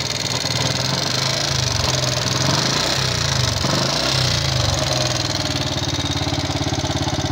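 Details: Yamaha Jupiter MX King fuel-injected engine, before teardown: rough idle with a fast, uneven metallic "kletek" rattle, about three clicks a second from the top end, thin smoke; combustion-chamber part wear suspected, unconfirmed.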